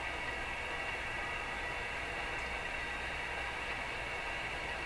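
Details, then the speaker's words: Rogers 11RA651 shortwave radio after more capacitors replaced, full volume on external antenna: smooth even background hiss with no crackles or pops; crashing, clicky noises appear gone. "So I'm interested in whether those crashy, clicky sounds are disappearing. Seems quieter, doesn't it?"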